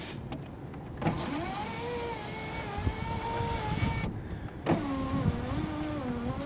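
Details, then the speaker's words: 2005 Jeep Liberty, rear driver-side window after a new regulator was installed: the motor hums with a wavering tone that drags and sags as the glass climbs very slowly, slightly faster going down. The new regulator struggles going up; it might need an adjustment. "That's like dying. Well, it goes a little bit faster down than up."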